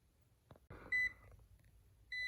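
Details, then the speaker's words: Smoke detector that never worked properly since the house was built, eating batteries fast: two short, high, sharp chirps about a second apart in a quiet room; low-battery chirp. "my smoke detectors have never worked properly um they go through batteries real quick they chirp"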